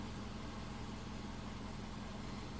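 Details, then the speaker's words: 2005 Subaru Forester 2.5 manual with an intermittent high idle, warm at about 650–700 rpm, 11% throttle, fuel trims perfect: smooth, low, steady hum with no knocks or surges, normal warm idle. "We're at 650 RPM. Nice idle. Let's see if it happens again."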